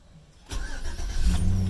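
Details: 2008 Chevy Tahoe with a no-crank, no-start fault: after disconnecting the aftermarket alarm and the PCM to drain power as a temporary fix, a short crank catches cleanly into a steady low idle; a new BCM is still needed.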